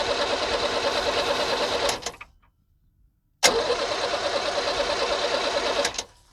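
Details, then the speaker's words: 1978 International Scout II with Nissan SD33 diesel, sat over 20 years, cranked with an injector line cracked: two steady cranking bursts with no firing and no fuel spitting; injection pump not delivering, possibly clogged filters or rack not engaging. "all right so we're not spitting any fuel so that means we're not getting fuel out of the fuel pump or when the filters are clogged or that rack inside isn't allowing it to fully engage"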